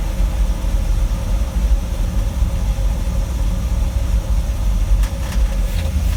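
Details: 1960 Dodge W300 Power Wagon, Poly 318 V8 with a Holley 2300 2-barrel 500 CFM carb and manual choke. Hard starting, then a deep, fast V8 rumble holding a raised, steady idle with no dip or hunt; idling too high.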